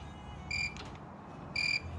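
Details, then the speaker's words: Toro 74237 Z528 ZTR mower with battery not charging; multimeter continuity test reading about 60 ohms where near zero expected, then checking the fuse block. Short beeps cutting in and out while wiggling fuses; loose, melted fuse connection giving intermittent contact. "the meter telling me of this continuity when I'm wiggling these these fuses here so we may have a loose electrical connection somewhere"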